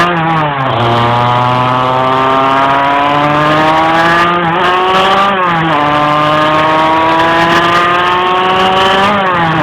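Revs climb slowly, then sag and recover repeatedly under load; the engine hesitates and struggles to pull, cause unclear.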